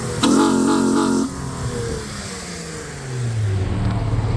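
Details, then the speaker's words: 2004 Acura TL J-series V6 after a HPS cold air intake install, warmed up: a quick clean rev blip dropping back, then a smooth climb. It pulls evenly with no stumble or rattle and sounds healthy. "Let it warm up for a bit and then I'll do some revs for you guys."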